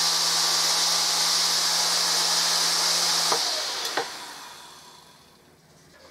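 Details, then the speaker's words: Hoover Dustette model 100 handheld vacuum motor, bench-tested outside the machine after reassembly: smooth even high whirr with no rough or scratchy edge, winding down cleanly; normal motor run, much nicer than the other one. "you see then much better sounds much nicer than the other one that sounds a smooth motor to me"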